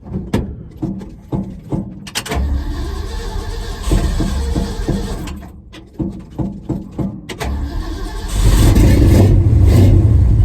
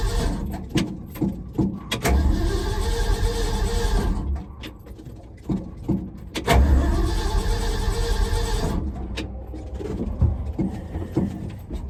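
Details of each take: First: 1974 Ford F-250 just after new mufflers were fitted, one side mocked up and not fully bolted. It cranks in bursts, catches and settles to a deep even rumble, then revs cleanly with no rattles or leaks. Normal, healthy exhaust note. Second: 1974 Ford F-250 with new mufflers just fitted, one side only mocked up and not fully bolted: the starter cranks in repeated steady bursts and the engine turns over evenly but never catches; cranks without starting, cause unknown.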